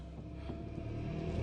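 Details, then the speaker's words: Nissan Micra K11 started after standing unused for a long time, with its flat battery recharged, in neutral: a low, slightly rough rumble that steadies and builds over a second or two; it sounds very cold but runs normally. "okay it has come to life sounds very cold as you'd expect this car hasn't been run for quite some time"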